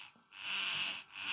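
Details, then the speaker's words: Truma SER caravan mover engagement motor bench-tested on direct battery connection, polarity reversed: thin high electric whir rising and falling as it creeps slowly round; motor working normally. "Moving very, very slowly, and you can hear it making a noise. So we know that's working."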